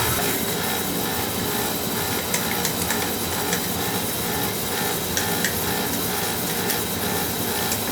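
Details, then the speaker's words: Oil burner motor on a homeowner's oil boiler after the owner changed filter and nozzle: scratchy, rasping whir with irregular ticks over the motor hum; the technician suspects the old motor's bearings may be shot, not confirmed. "could just be that you know that thing's old [Music] could be the barons a shot on that"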